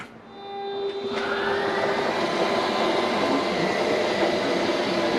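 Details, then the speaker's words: Northwood Nash 25C RV slide-out retracting after a rotted floor replacement: a steady whir comes up quickly and holds even, with no labouring or dropping pitch. It is still slowish but slightly faster, with no strain heard; the motor runs freely. "It's still slow. I don't know. It is a little faster, I guess. I don't hear the strain."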